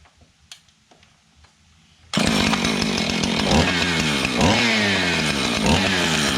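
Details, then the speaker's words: Husqvarna 445 XTorq chainsaw, rebuilt from pieces off a junk pile with leaking fuel tank glued: sharp start into a crisp, even buzz rising and falling cleanly with throttle; runs normally. "It's a runner. There you have it, folks."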